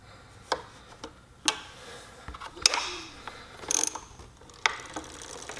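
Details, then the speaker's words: Heybike Ranger/Mars e-bike front disc brake after backing the pad adjuster out in eighth-turn steps to cure squeak and rub: light, uneven freewheel ticking as the wheel coasts, no scraping; normal wheel spin, no brake rub. "and it is totally gone guys now I will squeeze the brake and done"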